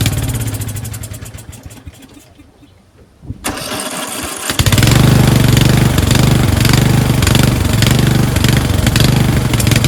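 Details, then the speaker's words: Craftsman 13.5HP 30" rear-engine riding mower, after carb cleaning, runs off choke: cranks, catches, settles into uneven chugging that falters after a few seconds as the bowl empties; fuel starvation from a collapsed fuel line. "It was starving for fuel. That's why it runs well for the first 5 seconds or so. Then when it depletes the fuel out of the bowl, it sputters out and dies because it wasn't getting any fuel."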